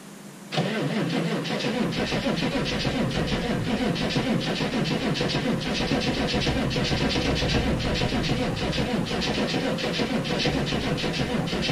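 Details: 6.5 turbo diesel cold start at -15°F; batteries run down, likely only one battery connected because of a poor connection on the other. Slow, steady cranking at about three compressions a second that never catches. No start.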